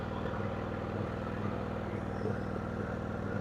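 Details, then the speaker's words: Craftsman riding mower idling after the clutch/brake safety switch was hot-wired out: a low, even thrum with no misses, knocks or surging. It starts right up and is nice and quiet. "Dude, this thing, that's great. Starts right up. It's nice and quiet."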